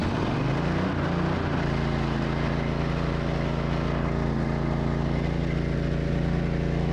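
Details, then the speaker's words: Honda generator, sat about a decade with bad fuel, repaired: after fuel solenoid engages and with choke, engine catches and settles into a steady even hum without surging; normal start and idle. "all right and there we have a running generator"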